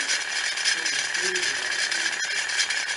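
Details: Ceiling fan running on a makeshift connection, same noise at any speed (low, medium, high); steady high scraping hiss with a faint uneven rattle, traced on opening it to a broken bearing.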